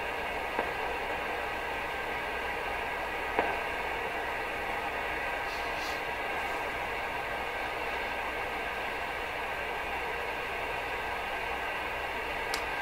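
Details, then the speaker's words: Rogers 11RA651 shortwave tube radio after replacing paper/wax capacitors: a steady hiss and low roar from the speaker with a couple of faint crackles, possibly tube pins expanding as it warms. Otherwise noise-free. "It's pretty noise free right now though, except for the hiss, the roar."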